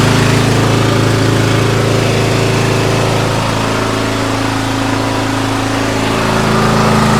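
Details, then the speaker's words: MTD White yard tractor, 13.5 hp Briggs & Stratton industrial engine, first start in years after sitting, fired with a little starting fluid; loud single-cylinder chug, about three beats a second, sagging and wavering in speed; cut out, lots burning off. Rough running. "so first time this thing's run in years. Fired up, a little bit of starting fluid. After that, have not used it, and still have some work to do. It cut out, there's a lot of stuff burning off of it"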